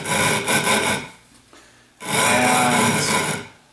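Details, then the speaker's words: Two loud, gritty rasping passes with a short pause between them as a sub-diameter tool on a spin grinding machine hogs out a 12.5-inch telescope mirror blank with wet grit; healthy, normal abrasive grinding. "you're going to hear it grind instantly nice loud grinding grinding noise is great just move it around a little bit"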